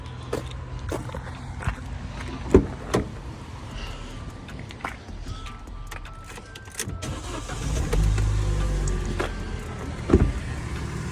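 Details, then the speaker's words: Vauxhall Corsa, first start at the BCA auction after oil and gunk checks: brief cranking, then the engine catches and settles into a steady, even idle behind some background noise, so it sounds healthy. "and as you can hear the engine sounds good which is absolutely great engine sounds good"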